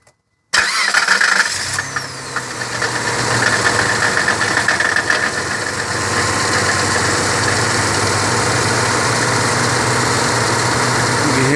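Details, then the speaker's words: Car engine at startup and revving: rapid knocking from the lower engine through the first seconds, also heard when revved; cause unconfirmed. "can hear the knocking noise evidently in the beginning of the startup."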